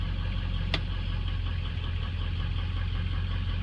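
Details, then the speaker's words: 2003 diesel truck at warm idle after the injector chatter stopped: a steady, even low rumble with one brief click and no knock or miss; healthy idle. "fire it up quick all right here we go pretty freaking smooth of course it's pretty warm"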